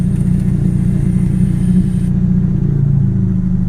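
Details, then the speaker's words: Mitsubishi Eclipse on a cold winter idle, with a reverse-threaded manual boost controller added as an idle air bleed; a thin hiss over idle stops when covered by a finger and idle drops about 50–100 rpm: intake air leak raising idle. "if I put my finger over and close it Idol goes back down you could definitely hear the leak I don't like that"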